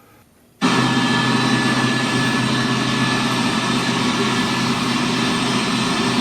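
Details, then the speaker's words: QTR2500 pump transmission in a test cell shifting from second to third gear at about 10,000 psi against the pump: loud steady gear whine that rises in pitch on the shift, with no clunks or banging; normal. "at this thing sounds like there's a there's a lot of gear wine with this transmission that's normal"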